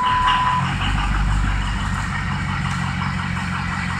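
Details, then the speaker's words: Ford Excursion with turbo: steady cranking pulses, about four a second, go on very long without catching; compression sounds good; owner suspects high-pressure oil drain-back valve; a couple of cylinders read low, number two over-fueling; cause unconfirmed. "crank extremely long crank compression does sound pretty good though that's high pressure oil on that long crank could be a drain bat"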